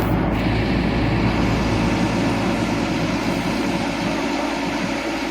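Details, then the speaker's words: Atlas 330.1 crane hydraulic pump after adding air supply to pressurize hydraulic tank (new filter alone didn't cure noise): heavy steady engine-driven drone with even pump hum, no screech or rattle; noise now acceptable, normal pump running. "Okay lang na yan. Yan lang yung ingay niya."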